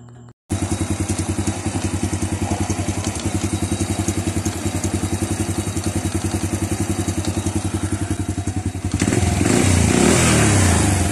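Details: Honda Wave 100 after repairing a top-end rattle from the cylinder head caused by worn timing chain and roller guides: steady even single-cylinder idle, then a clean rev, with no rattle.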